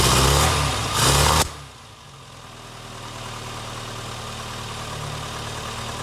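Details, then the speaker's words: Barn-find Austin Maestro carburettor engine, cold, after leaning the mixture and raising idle speed. A couple of loud blips, then a faint uneven hunting idle. It runs rough and the mixture and idle screws still need setting. "so what I may have to do now is I guess get it running and get it kind of warmed up and idling nicely and stick the older choke all the way in"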